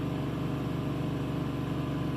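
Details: 2010 Chevy Silverado with P2135 throttle position sensor codes and reduced engine power, after throttle body carbon cleaning, TPS replacement and a relearn attempt. On restart after a 3-minute cycle and 1 minute off, a steady hum stays at a raised idle; high idle, which later returned to normal.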